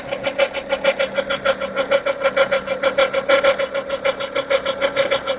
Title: Volvo v50 engine noise after timing belt replaced